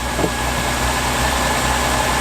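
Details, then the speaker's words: Essex pushrod V6 in a Reliant Scimitar with carburettor, after fixing the rattling at the top of the engine: smooth, steady idle with an even hum and no tappet ticking at all. "There's no tappet noise at all."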